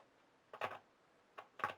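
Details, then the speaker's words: Late-1920s Jensen Type D Model 4-AC electrodynamic speaker, field coil powered through a series bulb, crackle test: short crisp crackles, noticeably louder as the field coil magnetises; slight hum, responds normally. "that's noticeably louder so as we get some magnetic field in the field coil is getting louder"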